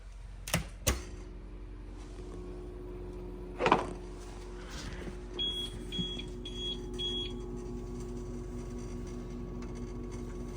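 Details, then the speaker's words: Old UPS with two 18 Ah batteries and new batteries fitted, powering Wi-Fi and network gear at barely any load: low steady hum with a rough growl, a few clicks, then short high beeps about twice a second; noisy but working. "This thing, I'm telling you right now, this is a noisy UPS. Like, listen to it. It's got a growl to it. It's old. It works still."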